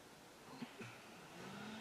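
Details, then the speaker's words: Dodge Avenger with code P2441 (secondary air check valve stuck), during repair: secondary air pump commanded on by scan tool gives a faint steady electric hum from the bay; pump runs normally. "you hear it out there running so that portion of the test works"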